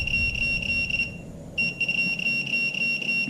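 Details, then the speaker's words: Minelab Pro-Find 35 pinpointer on sensitivity 3, tested on a bolt. A pulsing high beep, three to four a second, shows the ferrous tone correctly, which happens only at a certain angle or distance. "now it's giving me the ferrous"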